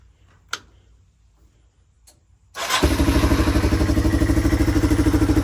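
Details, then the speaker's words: 1997 Yamaha Timberwolf 250 ATV, single-cylinder, ridden: a fast pulsing beat, slightly uneven, spitting and sputtering. The owner suspects it is running rich and may swap a jet. Sputtering under load. "Well, guys, after riding it, I don't know if you could tell, um, but it's spitting and sputtering a lot. It didn't sound great. Um, I think it's running a little rich."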